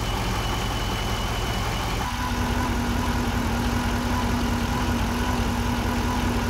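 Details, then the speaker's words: 2008 GXP, almost 150,000 miles, starting and idling: steady mid-pitched whine holding constant over the idle, like a failing power steering pump; failing alternator putting out 13–13.5 V instead of about 14, with burning electrical smell. "alternator makes kind of a whining sound almost sounds like a power steering pump going out"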